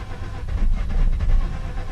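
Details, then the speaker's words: Mazda RX-8 rotary cranking during de-flooding while slowly feathering the throttle: low, uneven churning, tries to catch but never fires cleanly; flooded, won't start, spark plugs may be pulled next if it still won't fire. "that it's trying well I'm going to do this a few more times and if not then I guess we're taking the plugs out"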